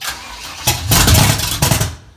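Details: Dad's carbureted car: a few sharp coughing pops while cranking, spitting back through the carburetor, then dies without starting.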